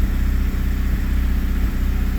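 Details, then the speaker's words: Honda Prelude after intake reassembly idles fast, uneven and slightly lumpy with a pulsing beat. It may be the high-idle warm-up screw, while a vacuum leak is suspected; a disconnected coolant hose was later found. "but we'll see it seems relatively consistent doesn't sound to be running very well but there's no telling why"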